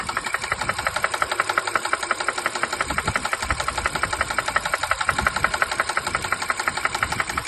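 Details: 2016 Honda Pilot engine kept being driven with a noise that worsened until the bearing shell was destroyed; sharp, very regular metallic knock about three per second that follows engine speed, rod bearing knock.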